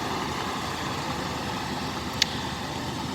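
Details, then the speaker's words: 1957 Lincoln Premiere, 368 cu in 300 hp V8, just restarted after six months unused, now warming up. A steady, even idle rumble with no knocks or misses. Normal warm-up idle. "alright I'll just let this warm up a little bit"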